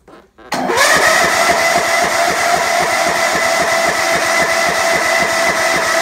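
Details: Old riding mower that had not been started in many years, faulty safety switch bypassed: brief crank, then it catches at once and settles into an even, steady run with a fast regular beat; starts and runs normally.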